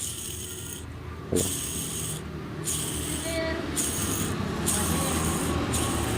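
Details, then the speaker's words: Honda Scoopy with a humming complaint: the worn old bearing from the centre, spun by hand with the mic close, gives a gritty rasping rumble. Inside it is very black and crusted. "ini sumber suara yang mendengung nah ini penyebabnya apa sih kok motor baru aja sudah berdengung kayak gini"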